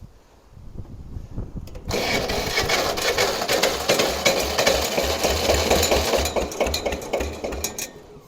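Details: Kubota L210 diesel tractor cold-start with old-style glow plugs: starter cranks at a steady rapid beat, about four strokes a second, engine trying to catch; sounds like a tired, low-compression diesel.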